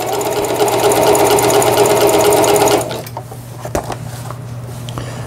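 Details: Singer Stylist 7258 (110 V) after repair of the feed regulation cam crank and the reverse button, with the lower shaft not yet assembled, sewing zigzag stitch 3 at medium speed: quick, even stitching with no knock or grind, working normally.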